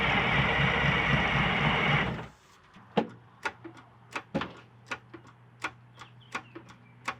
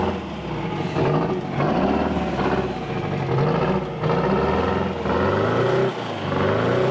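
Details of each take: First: 1979 GMC Astro cabover, 8V92 2-stroke Detroit diesel that sat 7 years, with gas down the intake: long spells of steady, healthy-sounding cranking with no firing; fuel lines are dry, so no fuel is reaching it. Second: 1979 GMC Astro cabover, 8V92 2-stroke Detroit diesel, newly running after 7 years sitting once the fuel system was filled: a deep, busy drone rising and falling smoothly with each throttle blip, no misses or knocks, healthy.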